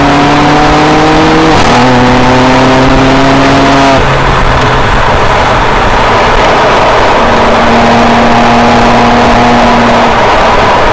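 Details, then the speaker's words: 2007 BMW E90 335i (N54) on track at Big Willow, lap 11, with a Sutphin custom transmission tune via Wedge Performance that fixes a prior timing-of-shift misfire/flare: hard full-throttle pulls with clean, crisp upshifts and no stumble or flare. "so here we are on lap 11 car in great using the new sulfon custom transmission tune along with the Wrights performance customers the sulfon tune improves throttle tipping shift characteristics"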